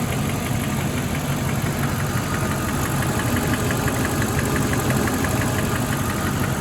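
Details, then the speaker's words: Mercedes E420 V8 a minute or two into warm-up, still not fully warm, after throttle body rebuild: light ticking about three per second over idle, much quieter but still heard when revving; likely a noisy lifter. "Stop real quick. Huh. Definitely quieter, but definitely still hear it when it's revving. Much quieter though."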